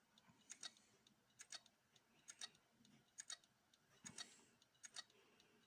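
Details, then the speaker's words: Replacement 750 GB hard drive in a Toshiba C875 laptop: faint, sharp paired clicks about once a second with no healthy spin hum; drive barely starts and is judged dead. "Je pense que vu le bruit qu'il fait là, à l'heure actuelle, pour moi ça ne sert à rien de le lancer, hein."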